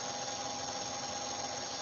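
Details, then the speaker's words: Motor run from an ABB variable frequency drive: constant high screech with a thin steady whistle over hiss at fixed speed, unlike a wye-delta or across-the-line start; normal drive switching noise. "when the motor is actually turning with the drive it's going to make a bit of a screeching noise unlike when you did a white Delta or when you did the regular a regular lab when you're starting"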